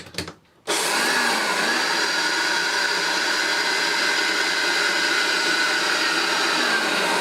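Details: Hoover Turbopower upright vacuum with smashed trunnion: after switch-on a harsh hissy roar with faint wavering whistle stays steady; motor sounds rough and terrible, cause unclear.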